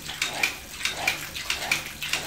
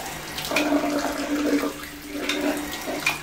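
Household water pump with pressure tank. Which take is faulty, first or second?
first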